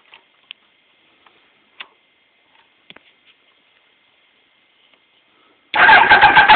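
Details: 1992 ZX7: after light clicks the starter spins the engine in a quick, even rhythm but it never fires; cranks but no start.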